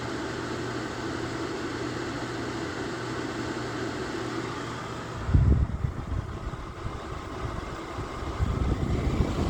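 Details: Lasko electric fan heater, low 750 W / high 1500 W, settings switch with a click, now on high 1500 W; steady blower whoosh with low hum, a click and knock midway, then smooth running: fan healthy on high.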